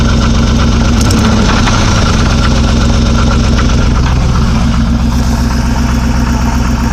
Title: 05 300C, 5.7 hemi engine knock